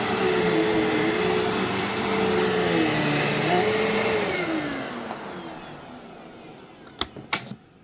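Even, steady motor roar with smooth airflow and no rattles, then a clean wind-down; this vacuum runs healthy.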